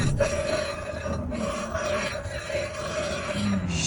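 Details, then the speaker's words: Jaguar XJ6 front brakes, daily driver: steady mid-pitched screech with a rough scraping rasp that swells and fades as the wheel turns; wheel bearings ruled out, pads worn down to metal-on-metal grinding. "When your Jaguar is screeching like this, it's not asking for attention. It's asking for help."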